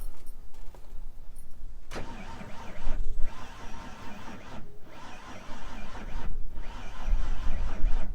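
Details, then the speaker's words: Old Ford van engine after running full of sand and water and stalling: starter churns with uneven rhythmic pulses but it never fires again; cranks with no start, engine finally dead. "No, I think she's done. Oh yeah. Finally. Man. I didn't think this thing would ever die."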